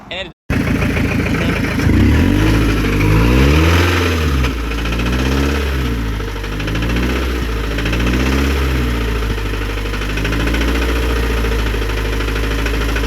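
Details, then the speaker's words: Scion tC after starter replacement, extra oil added, engine revved up and down repeatedly: hard knock under the revs; owner says the car is done for; rod knock, failing connecting rod bearing. "That [ __ ] is done for, bro. [Music] My car is done. It is done for."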